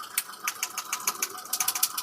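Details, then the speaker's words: 2015 Hyundai i10 1.1 that misfired on cylinders 2 and 3 due to a faulty ECM, now with a second ECM fitted: sharp, even snapping ticks about six or seven per second at the coil. Current is reaching it and the spark is strong. "यहां पे अभी miss fire हो रहा है मतलब ये current आ रहा है साथ आप न आवाज भी सुन सकते क कक कटक कक"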